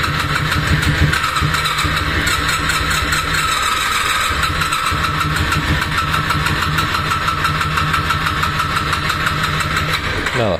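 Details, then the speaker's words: Honda VFR 400R NC30 that won't start after its ignition was left on overnight in the van: starter churns steadily for about ten seconds without firing, then the battery dies and will need a charger. "Venga, venga, le damos otro achuchón a ver si arranca."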